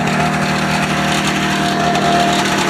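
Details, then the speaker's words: Ski-Doo Formula Plus 583 two-stroke snowmobile, sat over 5 years, fed from a pressurized jerry can with chainsaw mix, about 50 °C: even buzzy idle at constant pitch, no misses or surging; normal idle. "Got the old jerry can hooked up. Runs pretty good. We didn't even do anything. We just hooked the gas line up and pressurized it."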